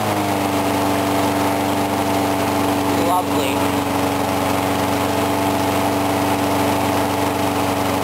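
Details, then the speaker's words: Briggs & Stratton mower engine, cold 35°F, sat long with water in the gas; steady even speed, constant hum, no misses or surging; normal running. "Anyway, I was surprised it started up on that first pull, because it's been sitting for like ever, and there's water in the gas,"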